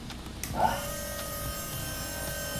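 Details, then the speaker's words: Newly installed Astra electric power steering pump on a drift car, switched on via a Link ECU GP output: after a click it spins to a steady, even whine; no rattle or grinding. "hear it going. And we'll test how it goes with a bit of load. Here it ramps up when you get on full lock."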